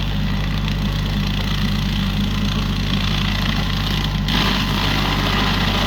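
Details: Used 2018 Woodland Mills WG24 3-point stump grinder on a tractor PTO (run below the rated 540), grinding a roughly 30 by 24 inch beech stump: steady tractor drone, then rougher hiss as the wheel bites wood; cutting normally, a couple of teeth possibly dull.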